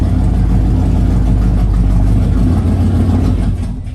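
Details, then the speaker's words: Flood-damaged Mustang V8: deep rough rumble holds a few seconds then sags and dies; owner says it's in limp mode, cause not pinned down. "and it just died man we're just not having good luck today dude it's in limp mode"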